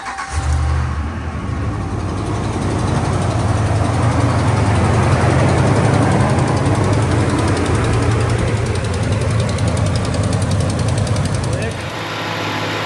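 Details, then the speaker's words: 2017 Ram 1500 5.7 Hemi, 120,000 miles, at startup after fixing the broken exhaust manifold bolt tick: steady even V8 idle with only a faint normal Hemi tick, loud exhaust click gone, no codes. "Sounds like just the regular old Hemi tick now. Remember hearing that loud click?"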